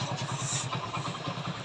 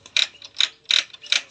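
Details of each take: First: Passion Pro single-cylinder idling after repair of gear jamming: even putter with no grinding or rattle; the earlier kirr-kirr (grinding) noise from the engine is completely gone, gears now engage properly. Normal idle. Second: Hero Passion Pro with third gear sticking and a noise from the engine: with the gear dog refitted the noise remains. Sharp metallic clacks about 2.5 per second as the shaft turns by hand, from a broken gear-dog fragment lodged at the kick-start gear.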